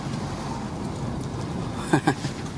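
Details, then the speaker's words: 2002 Honda Civic after replacing broken front stabilizer link, test drive over a bump: road rumble with a couple of soft thumps, no metallic clunk; front suspension clunk fixed. "yeah there's no more so that's how you fix a clunking sound of honda 2000"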